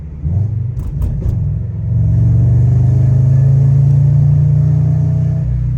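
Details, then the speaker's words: Subaru BRZ just after engine rebuild, driving: deep uneven rumble swelling as engine pulls after a downshift, heavier than usual; owner suspects an exhaust leak, unconfirmed. "like you hear it it's a lot more rumbly like I know it's a Subaru"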